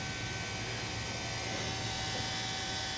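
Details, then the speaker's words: CAT 420F during a service: the electric fuel priming pump runs with the key cycled, a steady hum and hiss as it fills the filter bowl and pushes air out of the fitting, working normally. "We might have to cycle the key one more time. We'll see how it goes, but you can hear that pump working hard."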